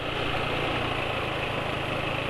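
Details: Motorcycle on Esso 4T Pace oil: steady idle with dry metallic chain-like chatter from the cylinder head, absent with previous oils; owner suspects weak oil film strength and adds Kie Corn Oil to cure it; valvetrain rattle.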